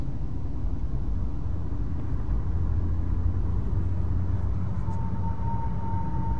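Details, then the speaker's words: Cadillac CTS (2008–2013) panoramic sunroof, driving after drip channel spring reinstall: steady road rumble with a thin high whistle overhead persists; worn drip channel. "works well as you can hear it's not working very well for me so I'm going to have to get a new drip Channel"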